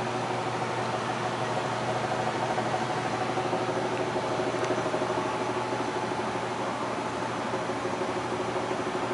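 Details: Amana furnace: steady blower hum with a fast buzzy rattle underneath, about three beats a second; cause unknown.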